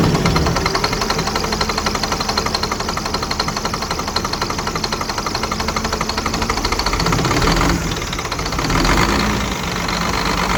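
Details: Scania R400 truck, DC12 diesel, first start after engine teardown and rebuild for a knock (cylinder and piston damage found); steady, even idle clatter with a brief rev rise and fall, settling smoothly, normal.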